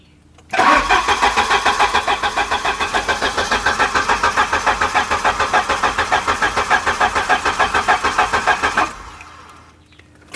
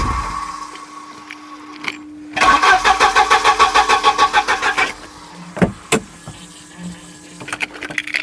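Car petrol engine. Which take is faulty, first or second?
second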